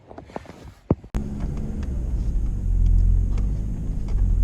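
After a click the engine catches and settles into a steady, even low rumble that builds slightly; running healthy now.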